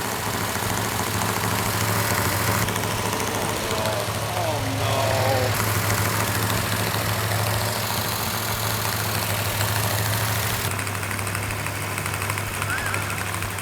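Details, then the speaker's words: Fresh rebuild on initial startup, rpm held up for cam break-in: steady even V8 rumble with slightly noisy valve train, normal for a new engine; no smoke, leaks, rattles or knocks. "got a little bit noisy valve train which is normal on a new engine we're going to hold the rpm up so the can can break in"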